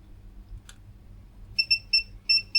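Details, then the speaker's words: Old 286 PC motherboard with corrosion, multimeter tracing tracks: faint probe click, then short high beeps and a steady tone; continuity confirmed, so the tracks are intact. "This one, you hear the little bleep where I had it. Yeah. So, they're all okay."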